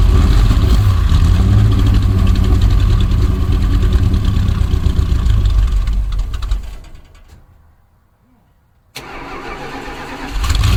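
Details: 1965 Dodge A100 van, V8 sat for years, now on fresh fuel after carburetor bowl filled: deep, even rumble settling into a steady, clean idle; normal idle.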